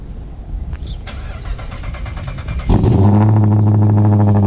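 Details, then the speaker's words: Cammed Dodge Charger R/T V8 (CompCams HRT Stage 2, full bolt-ons, E85 dyno tune) cold start after sitting two days: brief cranking catches within seconds into a strong, even, loping idle. Previously it needed 2–3 attempts; now it starts cleanly. "So the car is on E85, so naturally it's going to take a little bit longer."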